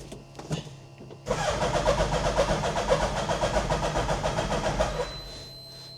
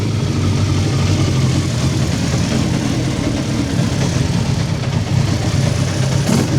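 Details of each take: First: Hayabusa-engined Nissan Micra, first start via hot-wired switch, some choke: sluggish, uneven starter churn about four turns a second, labouring and never catching; battery dead, charging not yet verified. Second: Hayabusa engine in a Nissan Micra, started to run up to temperature before its first drive: loud, steady high revs with smooth blips and an even idle, no dash warnings; a leak was found afterward. Normal idle and revving.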